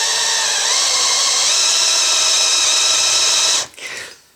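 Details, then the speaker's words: Drilling 3/16-inch steel plate with a small bit after centre-punching, at slow speed (trigger not fully pulled) and firm downward force: a steady high whine under load, then winding down. Big curled chips show a normal, correct cut. "see these nice big curls we have coming off that's what you're looking for you want big chips you want big curls"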